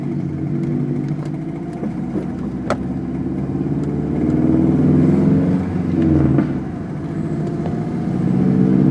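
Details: 2006 Subaru WRX under light load around 1500 RPM: loud quick tapping about four a second, disappearing above 2000 RPM, distinct from normal lifter tick; engine burns much oil, possibly run low; owner suspects rod knock, unconfirmed.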